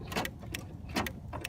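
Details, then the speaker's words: Toro Wheel Horse 270H hydrostatic lawn tractor, about 1,000 hours, in no-start troubleshooting: brake interlock switch worked gives four crisp, sharp clicks about half a second apart; switch actuating correctly. "you can hear it so that switch is working correctly"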